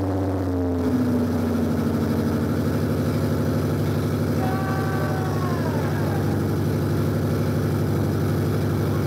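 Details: Toyota Supra manual/turbo conversion, first start with no exhaust fitted and distributor still loose: very loud raw bark settling into a steady, slightly lumpy idle.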